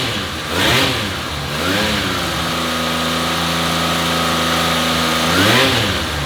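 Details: Honda CBX six-cylinder motorcycle's first start in 20 years after a full carb rebuild, with the vacuum system ignored. It blips, then hangs at a raised idle slow to settle, still clearing its throat and smoking a little. The high idle comes from fuel starvation.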